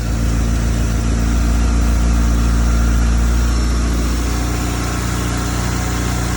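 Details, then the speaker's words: Toyota Celica GT-Four home-built engine, started without brake cleaner; fairly steady idle with a slight sag, running cleaner and healthier before it died. Owner suspects some dirty old fuel still coming through. "Sounding healthier every time we work on it."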